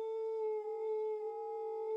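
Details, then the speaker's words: Model steam plant gas burners with two new gas jets, fitted into a Castle boiler's twin flues: steady pure mid-pitched stereo howl from jet position in the venturi; lowering the jets stops it but causes chimney smell and carbon monoxide. "time to fit the burners into the twin flues to see what happens i turn the gas off first and let them cool and surprise surprise they both made a very nice stereo howling noise"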